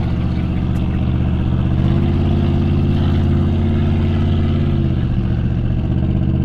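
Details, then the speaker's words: Twin-turbo small-block GTO on its first road drive, running on the torque converter: deep, heavy engine drone under steady throttle, straining without gaining pace. The front brakes are locked up and dragging, and they are warm. "go and the brakes are locked up, dude. She's struggling hard to push through those fronts, dude, but we got to get back somehow."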